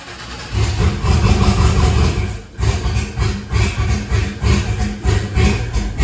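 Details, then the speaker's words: 1962 Chevy C10 with an LS swap and choppy cam: engine catches and surges, then idle rises and falls about every half second, lumpy and unable to settle; owner blames an adjustment screw. "that's what I'm talking about with that screw sometimes this thing wants to run good sometimes it don't"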